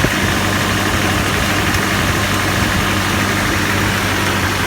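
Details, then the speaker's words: GAZelle with a ZMZ-405 petrol engine, cold start, hood open: steady idle with a busy clattery ticking and knocking over the hum. Cause is unknown despite new plugs, coils, wires and starter. Cold start engine knock. "Да, и мы хотим выяснить причину, почему двигатель на холодный вот так стучит, шумит и издает какие-то непонятные звуки."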